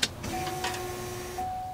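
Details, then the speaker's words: Corvette, key turned to run: steady mid-pitched hum from the in-tank fuel pump in the rear, running 2–3 seconds to build pressure; normal fuel pump prime. "So you could hear that fuel pump run for about 2 to 3 seconds. And it runs like that so we could build up fuel pressure and start the car."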